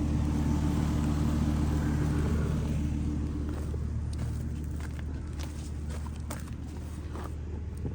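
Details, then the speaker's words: Home AC condenser restarted after run capacitor work (30/5 replacement planned): steady low hum, even compressor and fan drone, no clicking or buzzing, blowing hot air. Normal running after repair. "Sounds good. It's already blowing some hot air. So we'll call that fixed for now."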